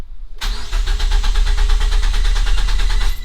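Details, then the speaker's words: Mazda2 cranked with clutch in and throttle floored, which cuts spark and fuel, to build oil pressure after an oil change or long sit; rapid even chugging of about eight beats a second that never catches; normal cranking without start. "what happened there was the engine was getting no spark or fuel. It was just the starter motor kicking over and spinning the engine, and thus pressurizing your lubrication system."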